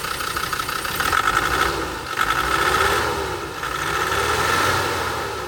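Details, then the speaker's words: 1999 Land Rover Defender Td5 diesel idling a couple of minutes after replacing injectors, including a non-working one, and refitting the head: continuous smooth idle with slight gentle speed rise and fall, no misfire or knocks. "So, it's been running for a couple of minutes. Straight now."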